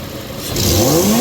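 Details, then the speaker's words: 2000 Toyota Tacoma 3.4 with P0171 lean code and high-speed power loss, revving while MAF reading reaches 4.2: pitch climbs smoothly with no stumble or hesitation, sounding unrestricted; normal revving. "4.2, and you heard the engine, the sound of the engine. It sounds like there's no restriction."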